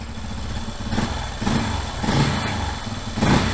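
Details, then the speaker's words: 1989 Yamaha Moto 4 YFM350ERW single-cylinder idling with the choke off just after its first start following head repair: a steady low putter with slight speed rises and dips settling to a fair idle; the engine sounds healthy. "Oh baby! Started right up! I got the choke off. I'm just gonna let it idle for a little bit. I did not think it would start that fast but I'm so happy it did!"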